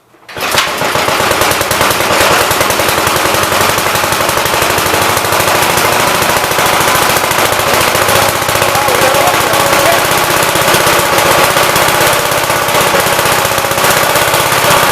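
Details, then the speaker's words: Single-cylinder engine "Big Blue" (53 L) run outside after a cylinder repair with a plate; fast, even popping at a steady beat, no misses or knocks, showing oil pressure though leaking oil at the oil pump; sounds better than ever, normal running. "So we actually got oil pressure. Sounds a lot better than it ever did."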